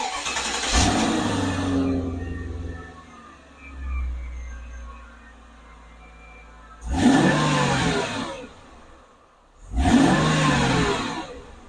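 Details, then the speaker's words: 2000 Mercedes-Benz S500 V8 with the exhaust just reinstalled during driveline vibration work: cranks and catches cleanly, settles into a smooth, even idle, then two quick blips rev and drop back; healthy engine, sound barely changed from before. "So yeah, not much of a difference between before and after, but I'm sure when you're going on the high RPMs under load, I will hear it a little bit more in the car because this engine does sound pretty sweet."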